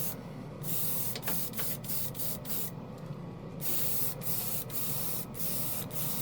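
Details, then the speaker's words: Portable airbrush compressor (rated up to 40 PSI) on the floor spraying primer with a small-needle airbrush: even airflow hiss between passes over steady hum, no surging, pressure not fluctuating; normal steady spraying. "so it's going to take a little bit to put Prim on but it's go it's it's it's working it's not fluctuating"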